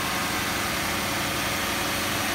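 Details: Lexus LS 430 V8, about 87,000 miles, almost 14 years old, after extremely cold start following sitting: smooth even idle hum with airy hiss, no knocks, misses or surges; normal idle.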